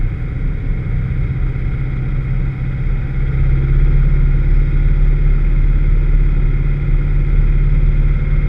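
Deep engine drone with an uneven, stumbling beat under load instead of a clean pull; cylinders are misfiring.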